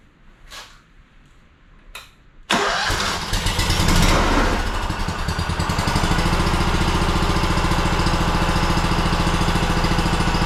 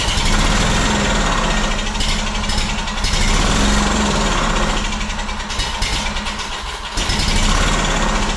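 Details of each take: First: Honda two-cylinder engine that sat 10 years, repaired (stuck governor freed) and with the top reassembled, final start: faint clicks, then it fires right up into a smooth, regular idle. A healthy start. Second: Honda two-cylinder engine that sat in a shed about 10 years, first start off a jug of gas after carb cleaner: uneven, surging run with dips, as if gasping for fuel. It doesn't seem to be getting fuel.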